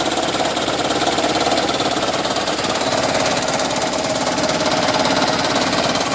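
Steady idle with a quick, fairly even chatter, about three or four knocks a second, riding over the engine; a knock, cause unknown.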